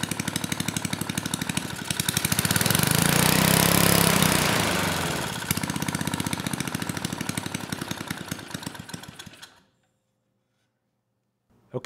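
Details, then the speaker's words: 1980s Troy-Bilt Junior tiller with Tecumseh HS35 single-cylinder engine, started first pull with old oil: pops evenly at about 220 beats a minute, revs up smoothly and drops back, then shuts off; sounds healthy. "well maybe this will be an easy one you know it started first pull the engine sounded good and I could kind of rev it up"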